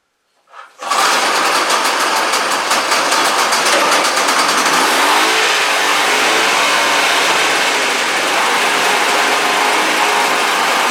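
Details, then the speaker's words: 1972 Sno-Jet snowmobile two-stroke with newly welded, fully hooked-up exhaust: catches and runs loud, even and buzzing with a raspy top end, smoky; running normally. "let's see see what she sounds like with the exhaust now finally because you've heard her in past videos which she sounds like without exhaust"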